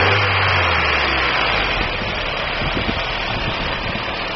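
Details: 1999 Daewoo Nubira 2.0L DOHC petrol engine idling with a rough, uneven beat and occasional stumbling thumps from a misfire.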